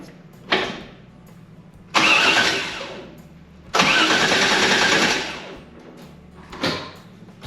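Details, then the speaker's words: Newly installed 500 hp LS3 engine in a 1992 Firehawk tribute, first crank test after install with nothing hooked up and the Terminator controller not powered: several bursts of fast, even starter churning with no firing; healthy normal cranking. "Okay. Well, that sounded good. Uh, it cranked over. Obviously, it's not going to start cuz nothing's hooked up."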